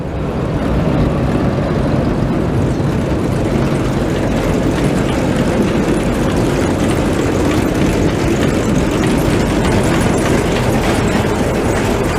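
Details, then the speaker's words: Machine (525) running after the walkers were repaired and reinstalled: even, steady heavy rumble with no knocking or rhythmic banging from the walkers; much quieter than before, when the walkers could be heard going round, runs smooth and healthy. "Wow, those are so much quieter, son of a bitch. Used to be you come back here, all you hear is art from them walkers going round and round."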